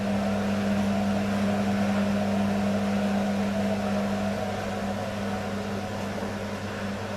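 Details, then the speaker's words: Beko washing machine, full load of dark clothes, Ariel cap detergent, draining with heavy suds: steady low hum with a strong tone near 200 Hz at constant pitch; motor sounds bad, labouring during drain. "whoo you can hear the sound of the motor it's not good it's not good the sound of the motor"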